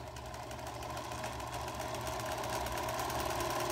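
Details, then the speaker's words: Singer 431G sewing machine with internal motor converted to low voltage, sewing denim with hopping foot: fast chatter about four beats a second over a rougher buzzing hum, because the motor shaft is slightly out of balance. "well unfortunately it's not quite as quiet as it will be because because the motor is or the the shaft is slightly out of balance as I said before but it works and I can get super slow control"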